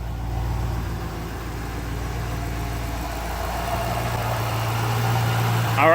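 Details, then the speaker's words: 2006 Ford Mustang GT 4.6L 3V V8 idling after replacing all eight ignition coil packs, with Flowmaster exhaust: steady, even burble with smooth unbroken exhaust pulse, no stumbles or ticks; runs like a top, clean idle. "Alright, so as you can see, she runs like a top."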